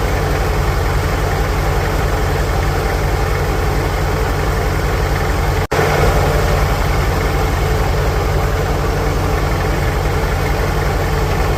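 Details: 1946 International Harvester Farmall H, in neutral after a pushrod replacement and deep cleaning, with a low battery: steady, even idle with a low, regular thump and no misses or knocks; running smoothly, normal idle.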